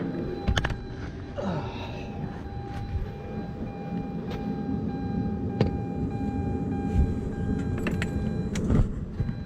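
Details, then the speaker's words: Mazda RX8 with a 2JZ engine swap starting at once and settling to a steady, even idle with no misfires, after a defective new spark plug causing random idle misfires was replaced. "when I replaced that it fires up pretty nice idles fine"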